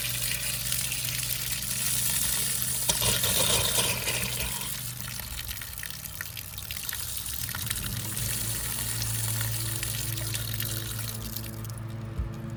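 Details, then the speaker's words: Shallow water pump started after six months idle, with the valve opened slightly: steady pump hum under hissing, sputtering gushes of air and water as the pump primes and draws air. "what I'll do I'll turn it on see if we start getting pressure I'm going to open the valve up a little [Music] bit hear the air trying to come out"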